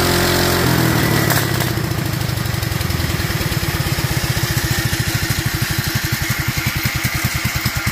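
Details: Duromax 18hp single-cylinder engine with a constant idle problem, running on its air filter; it won't start with the filter removed. After a rev it settles into slow, uneven, sagging chuffing, close to stalling: unstable low idle.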